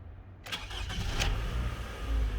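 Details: 2010 Toyota Highlander 4-cylinder that cranked without starting and showed zero rpm on a scan tool, after installing a new crankshaft speed sensor: a short crank, then it catches at once into a steady, even idle; normal start.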